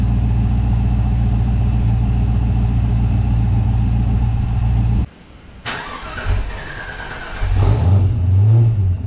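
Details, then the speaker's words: Holden Monaro with new full exhaust and catch can, warm engine: deep loping uneven idle that stalls and restarts with throttle blips; runs fine cold on high idle, rough once warm, owner suspects the tune. "all right still doesn't want to idle when it's warm but that must just be in the tune it's fine when it's cold and you've got that high idle speed and then as it warms up and the idle speed starts dropping it just starts running really rough and crap everything else seems good"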